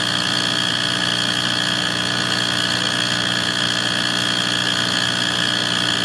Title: Why is my wall furnace making this noise